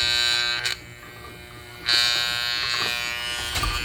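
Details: Vintage Hamilton Beach electric hand mixer that failed mid-mix: steady high electric buzz that cuts out briefly, beaters won't turn and the mechanism feels stiff with no visible obstruction; the motor is powered but the drive seems stuck, cause unknown.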